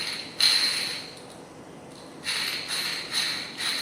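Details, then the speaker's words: Caterpillar 5M7925 needle roller bearing fitted in its gear, with a matching shaft plugged into the bore and turned by hand: short, soft rolling rustles with no grinding, clicking or roughness, and no shaft run-out. Normal smooth rotation. "You can see they can run in smoothly. There is no noise, there is no special voice, and the most important thing, the shaft, they are not run out."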